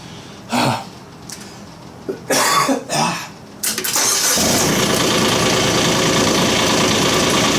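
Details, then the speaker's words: Kubota K008 mini excavator diesel, glow plugs used before starting: some clunks and handling, then a quick crank and a steady, even idle; normal diesel start and idle. "well let's get her out fire it up course you have to do the glow or she'll probably never start"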